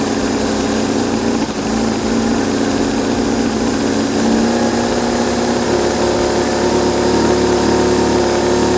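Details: BMW R1150GS boxer engine idling after a no-start repair attempt: steady even idle with constant pulse, no misses or knocks; running cleanly.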